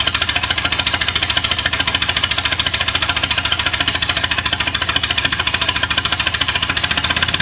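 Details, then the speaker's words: Ferguson TEA20 grey tractor, started on jumper leads with brake cleaner as starting fluid: a lumpy idle with irregular pops. It is likely misfiring, with at least one cylinder seemingly not working. "I reckon I had maybe I had at least two gone possibly two and a half but I think there was one that wasn't working but anyway that's a start"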